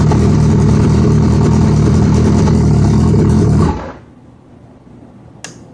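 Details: Suzuki Hayabusa: steady even cranking for almost four seconds then stops without firing; hard start, owner says fuel pressure drops as the bike spins over to start, cause unresolved.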